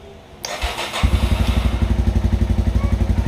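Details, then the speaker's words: 1987 Yamaha Moto 4 YFM200 single, on electric start after its charging coil was replaced: a short starter whir, then it catches at once and settles into an even idle thump. The coil shows 37 volts with consistent pulses. Normal start and idle. "Fires up right away."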